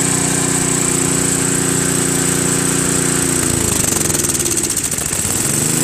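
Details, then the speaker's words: Craftsman 522 snowblower with Tecumseh engine, sat for years: single-cylinder drone whose pitch wavers and sags partway through; it won't hold speed without choke. Owner suspects a hardened, collapsed fuel line or not enough fuel reaching the carburetor. "Idles pretty well, but it runs only on choke, you know, or halfway. Put it to halfway."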